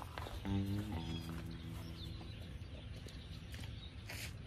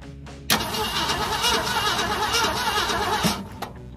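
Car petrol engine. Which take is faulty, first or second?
first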